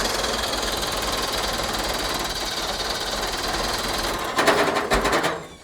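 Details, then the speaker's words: Ford Pinto wagon with 454 big-block V8 and Comp Cams camshaft, ignition timing far too advanced: fast cranking clatter then harsh lurching bursts as the engine kicks back against the starter; feels like no compression. "Yo, when you let off, it cranks and then it goes the wrong direction, then it goes the right direction. I've never seen this. This is so strange. Okay, It's gonna be way too much timing yet."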